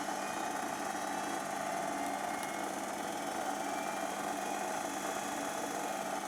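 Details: Zanussi XC FJS1225 jet-system washing machine (2003 serial, 5 kg sold as 6 kg) drain pump running after switch-on: steady mid-pitched hum, no grinding or rattling, even tone; pump is fine.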